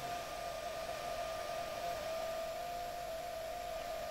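Constant whirring with a steady high tone riding over the airflow; bent blades running out of balance make it noisy.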